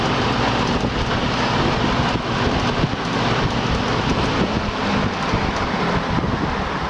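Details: Old 20-inch Coronado box fan from the garbage, repaired: burned-out low-speed transformer bypassed, motor wired direct for one speed. Loud steady rushing roar with an even low hum, no knocks or rubbing; running normally.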